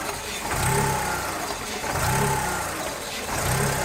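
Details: 2000 VW Polo 1.0 engine misfiring, engine visibly rocking: uneven, lumpy running with a surging beat about every 1.5 seconds; cause unknown.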